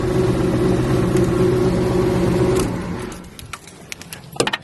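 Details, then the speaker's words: Buick Regal with a swapped-in 4.6 engine and wrong serpentine belt: engine revs up and drops back with a fairly even knock about four a second; the owner says it's not the engine but a bent flywheel. "If people ever heard that, man, probably wondering what that was. Think the engine knocking, the engine not knocking. It's the flywheel bent on it."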